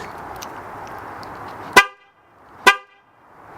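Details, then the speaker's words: C5 Chevrolet Corvette horn, louder than the owner's truck horn. Two short, loud, clean honks about a second apart with a steady tone and no rasp or wavering; the horn works properly. "holy moly this horn on this car is so loud it's even louder than the truck horn and that's loud"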